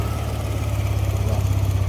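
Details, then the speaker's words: Yamaha Aerox 155 v1 Keyless scooter after CKP sensor replacement fixing error 12 no-start: steady low putter, even rhythm, no knocks or misses; normal idle. "So mga boss, okay na yung motor ni sir. Ah si Kipe sensor lang yung problema."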